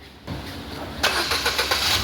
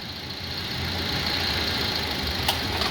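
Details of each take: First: Ford Figo after repair of knocking at idle with AC on, caused by water in the ignition coils/plug wells, with injectors and throttle body serviced: engine cranks and catches cleanly, settling without knocking. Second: Ford Figo petrol engine idling, starts fine but knocks heavily and shakes when AC is switched on: lumpy, uneven misfire caused by water inside the ignition coils and spark plug wells.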